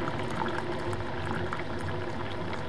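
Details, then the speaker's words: Keurig coffee maker after fixing reservoir vacuum problem that made pump spin without drawing water: low steady churning hum with gurgling as water is drawn and cup fills; pump works normally. "the important part is you can probably see the water going down and that noise that's the pump and rises has stopped until it's until it's filled with cup and then you'll hear the pump go again"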